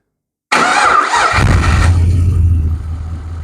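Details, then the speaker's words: LS1 V8 with side-draft/cross-ram injection, new Aeroflow fuel rails and retuned stock LS1 PCM, first start after priming empty rails: starter whirs about a second, fires straight away, flares, settles to smooth steady idle. "is awesome the first freaking kick"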